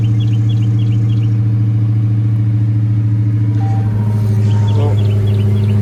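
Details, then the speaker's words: Hellcat Redeye supercharged V8 that kept stalling, started with the rear-rail fuel pressure sensor unplugged: deep heavy burble holding a steady even idle with no stumble; faulty fuel pressure sensor. "Seems like it's idling right now. It's crazy, man. All that stuff y'all see me fighting. Just for it to be a sensor, bro."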